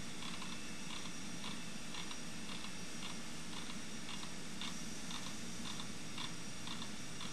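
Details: NEC Ready 9625 PC during software install from disk: sharp light ticks about twice a second over steady fan hum, seek chatter of a struggling drive; cause suspected, not confirmed.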